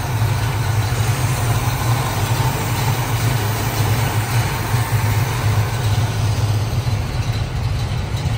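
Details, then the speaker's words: 1969 Pontiac Firebird Trans Am replica, rebuilt 455ci V8 with no. 96 heads, Edelbrock intake, 4bbl carburetor, stock exhaust manifolds: deep steady even-firing idle with no ticks or misses; normal healthy idle. "let's take a minute and listen to this baby [Music] sounds great"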